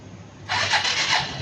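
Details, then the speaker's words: Suzuki Jelato scooter brought in for a no-start. Starter pressed with rear brake held because the front brake master cylinder piston was seized. A short starter whir, then it catches and runs lightly and steadily: clean electric start. "เครื่องยนต์สตาร์ทติดได้ดับเครื่องครับดับเครื่องเราก็เบาใจไปเปาะนึงใช่ป่าครับ"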